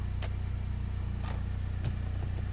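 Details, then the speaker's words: 2006 Saab 9-3 2.0t idling: low, steady, even hum with no stumbles; runs good, though weeks earlier it nearly stalled after three minutes then revved high and recovered, not repeated since; normal idle. "as you can see it sounds like it's running good"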